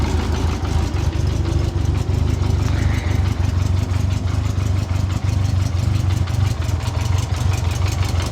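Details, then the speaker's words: 1984 Honda Goldwing started completely cold without warm-up; it has a new brake caliper and final drive. A smooth, even low rumble at steady idle with no knocks or misses. Normal cold idle. "okay just tap the start okay so here's there's the bike running"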